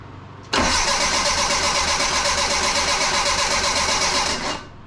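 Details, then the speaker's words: 1984 Bertone X1/9 with freshly rebuilt engine, new fuel pump at 36 psi, good spark and compression: steady cranking about four beats per second that never catches, trying only on ether; only cylinder three fires, traced to three bad fuel injectors. "so it's only hitting on one cylinder number three and you can tell it tries when you hit it with the ether"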